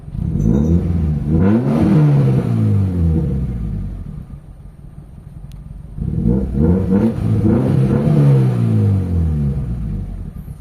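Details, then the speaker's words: Toyota Corolla GLI with 4A-FE engine, after installing a new fuel pump: two clean rev-ups rise and fall smoothly with no stumble or popping, engine now running and revving normally. "So start natin yung engine. So ayan mga bossing ah umaandar na tayo mga boss."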